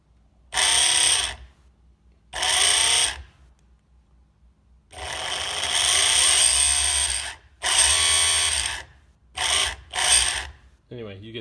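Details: Evolve One electric skateboard, motor failed after a couple of months of riding: harsh, gritty whir in short bursts under power instead of a clean hum; motor grinding on something, failing, to be replaced.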